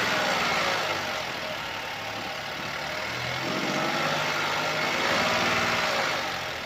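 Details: 2017 Opel Astra K, 1.4 L (1399 cc) 77 kW/105 PS petrol, engine code B10XFL, 90,859 km, at idle: a fast, even rattling chatter rides over the engine with no bottom-end knock, caused by a stretched timing chain.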